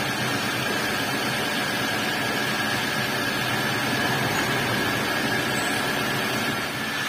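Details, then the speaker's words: Old Toyota Avanza after replacing the propeller shaft centre bearing and refitting the shaft, wheels spinning in gear: an even, steady drone with no rumble or growl, the roar gone and the driveline healthy. "untuk suara kasarnya di sini sudah hilang karena untuk senter beringnya sendiri sudah kami ganti ya"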